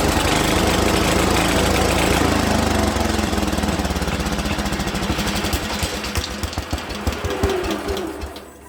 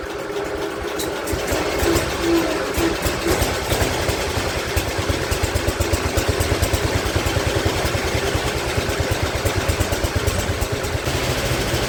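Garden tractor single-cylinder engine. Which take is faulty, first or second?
second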